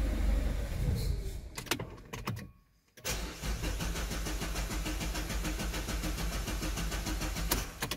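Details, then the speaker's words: Citroën C4 Picasso 1.6 HDi diesel start test after a fuel filter change, primed with the hand bulb until firm: short crank, brief pause, then it catches and settles into a steady even idle clatter; filter primed, no air. "On va faire un test de démarrage. Si ça démarre, c'est que le filtre est bien amorcé."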